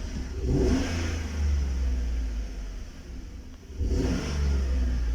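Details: 2012 Chevrolet Tahoe with P0300 random misfire: the engine revs twice with a lumpy, uneven note. Old spark plugs show weak spark, and the misfire moved between cylinders 1 and 7 when plugs were swapped. Worn spark plugs need replacing.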